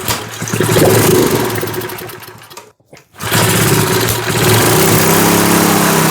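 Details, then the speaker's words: 1970s Hahn Eclipse BHT-120 tiller, 3.5 hp flathead Briggs & Stratton, 60 psi compression, first start after years unused and a carb clean: rough chugging that fades and cuts out while the air-fuel mixture screw is adjusted, so it stalls. "Oh, it just quit on me. I was adjusting the air-fuel mixture screw, and it seemed like it was doing a little bit of something."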